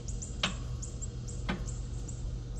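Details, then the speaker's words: Riding lawnmower with a new, not-dead battery that intermittently fails to start: two sharp clicks about a second apart over a low steady hum, no cranking at all; starter solenoid contacts failing. "See, sometimes it'll start and sometimes it just clicks. Click."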